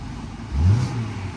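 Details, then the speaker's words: Car at Copart auction yard, hot day, AC just switched on: quick clean rev blip rising and settling back to smooth idle, no knocks or rattles; engine really smooth, normal rev. "Oh, little rev there. The engine feels really smooth."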